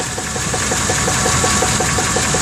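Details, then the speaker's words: Truck sold as having a rebuilt engine with 10,000 km, knock appeared two months later: sharp regular knocks about five or six per second at idle, much louder underneath near the torque converter; bottom-end knock, cause unknown. "There's the torque converter. The knock's a lot louder down here. Not sure what this knock is."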